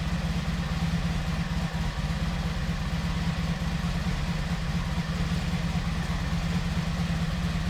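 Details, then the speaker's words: 1986 Honda VF700 Magna V4 after a fuel system flush and carburetor cleaning, warmed up with the thermostat open and coolant flowing; even, steady rumble with no misses. Normal running. "the bike was really sounding good I'll be excited to get it on the road"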